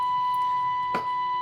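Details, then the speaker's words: Philips B0X19U radio under restoration, after IF alignment at 452 kHz with the speaker reconnected: clean, steady high test-generator beep without buzz or distortion, clearer and crisper than before the adjustment. "vamos a escuchar nuevamente el pitido que emite el generador de frecuencia. No sé si lo aprecian, pero yo lo aprecio mucho más claro y nítido."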